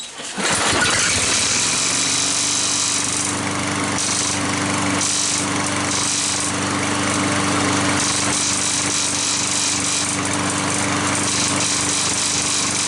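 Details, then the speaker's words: Curbside mower after reassembly to cure a squeak: small engine running steady with uneven bursts of harsh metallic scraping and rattling on top; the blade is striking a dented, pushed-in section of the deck. "i wonder if that's the blade hit well nuts okay unless the blade must be hitting something"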